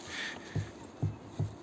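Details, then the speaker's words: Car rear suspension rocked by hand: three dull, separate thumps about half a second apart; knock heard from the rear strut area, shock rod not transmitting it, cause unconfirmed. "достаточно немножко его покачать у"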